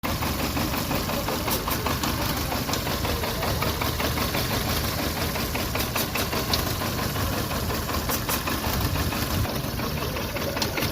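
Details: VW Polo Vivo 1.4 CLP engine idling unevenly with irregular stumbles and puffs from a lean condition; a heat-damaged, broken PCV valve pipe was found as the cause: random/multiple cylinder misfire at idle.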